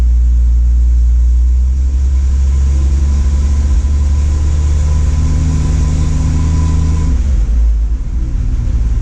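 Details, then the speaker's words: Engine previously knocking, now warm after timing reset to four degrees before top dead center, vacuum at 18; smooth, even low rumble with no knock; normal idle. "so chokes this is nice and warm [Music] i don't hear the knock"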